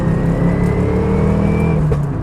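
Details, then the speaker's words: GT86 with solid transmission mounts, in-cabin, lifting off in 5th gear: loud steady engine drone with rattling, vibration and a rising whine, far louder than before; excessive drivetrain noise from solid gearbox mounts. "Like, if I lift off in 5th gear, can you hear that? It sounds like the engine's fucking falling out the bottom. Like, it's just, it sounds brutal."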